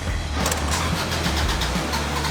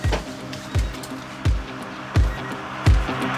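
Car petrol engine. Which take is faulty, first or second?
first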